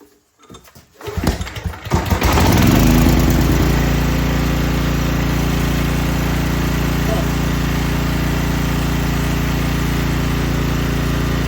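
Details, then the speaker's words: Small generator after pull rope replacement, unrun 6 months; catches after brief pull, steady even drone at constant speed, no misses or knocks; healthy running. "okay y'all that is crazy I've never had anything fire up on the first pull something wrong with that thing it's going to blow up or something"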